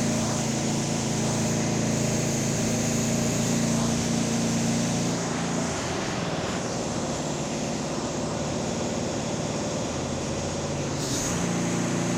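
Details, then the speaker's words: Ariens 926LE snow blower with Tecumseh Snow King engine after tune-up and ultrasonic carb clean: starts first pull, runs smooth and even, then drops to steady idle; max speed set to 3500 rpm, normal running. "there we go started first pull it should start that well for the customer every time"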